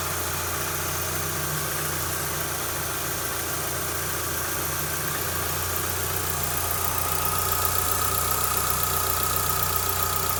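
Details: 2004 Mitsubishi Lancer Ralliart after replacing timing belts, belt pulleys, hydraulic tensioner and stripped idler pulley bolt: steady, even idle with a smooth beat and no ticking, slapping or whine from the belt area; normal idle.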